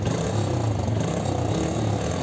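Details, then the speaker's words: TVS Victor 3-valve motorcycle after repair for a sudden knock and no-start: even single-cylinder idle with no top-end rattle or knock, only slight exhaust puffing from a cracked silencer. Engine sounds healthy. "Bike को start करते हैं engine में कोई भी sound नहीं है बिल्कुल first class"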